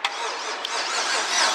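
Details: LS-swapped Foxbody Mustang with a turbo 5.3L V8 (280,000 miles) that smoked and lost oil pressure: a thin, wavering cranking whir with gas applied that never catches; the engine cranks but will not start.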